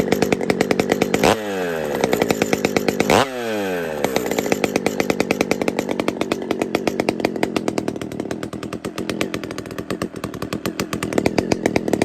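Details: Pioneer P-41 chainsaw with big-bore kit, running: crisp two-stroke buzz with two clean blips to high revs, then a steady, even idle without misfire; normal running.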